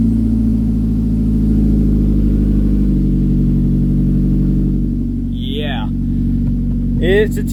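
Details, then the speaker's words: Small four-cylinder manual flip car with an exhaust of unknown history: loud, coarse, rattly drone like shaking a can of pennies, staying rough through idle and revs; raspy, probably modified exhaust. "that sounds like absolute garbage no offense that sounds like you're shaking a can of pennies that sounds like hey i've got four cylinders that's all i can afford"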